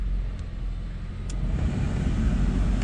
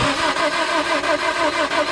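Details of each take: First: B20 engine in wife's car, first start after distributor set 180 degrees correctly: starter churns briefly, engine catches and builds to a steady even run with no misses or knocks; starts normally. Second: Car with a B20 B-series engine, spark tester on the distributor: starter turns the engine over at a steady chug, about four times a second, without catching; no spark, distributor to be swapped.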